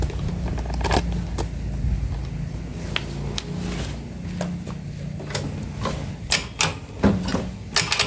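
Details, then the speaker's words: Yamaha Mio Soul GT 125 FI scooter, recently bought, running with CVT components removed to isolate the noise: idle with uneven ticking and clatter over a low hum; noise traced to the engine, possibly piston or cylinder block. "Nah tadi kita sudah dengarkan suaranya sendiri ya sudah bisa dengar sendiri jadi ini suara bagian mesin ya lalu untuk suara bagian mesin ini bisa juga dari suara piston dan blok seher yang memang sudah dilakukan pergantian"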